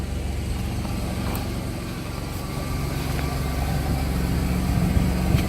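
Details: F-body 3.4/3.8 V6 after fixing the pipe-within-a-pipe exhaust rattle under the oil pan and bellhousing with a self-tapping screw, heard from outside the car; steady, even low idle with no rattle or buzz from the exhaust: normal idle.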